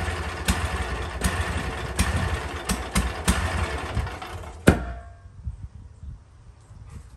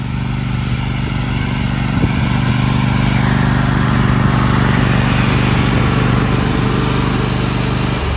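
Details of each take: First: Toro MX5050 zero-turn mower, Kohler KT735 7000 Series 24 hp with smart choke, hot engine at shutdown: rough uneven running with sharp pops then a loud bang; runs on or backfires only when hot, fine when cold; suspected fuel cutoff problem. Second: Toro MX5050 zero-turn, Kohler KT735 24 hp V-twin with smart choke, hot after mowing, after fuel solenoid pin restored and brake box replaced: deep V-twin thrum winds down cleanly at shutoff with no backfiring or sputtering.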